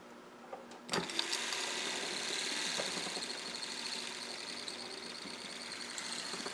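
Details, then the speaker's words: Bench test of a refurbished classic-car windshield wiper motor on a 12 V power supply limited to 2 amps, wiring uncertain. After a sharp start it settles into a steady, even, high-pitched whir with no knocks or grinding; running normally. "All right, well, I got lucky there. So again, this is running at only 2 amps."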